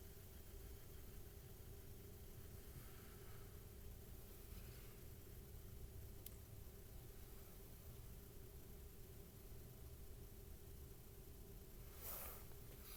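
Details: Mainstays 9-inch high velocity fan on high, just after lubrication; quiet steady hum with a constant low tone and no ticking, rubbing or squeal; runs smoothly.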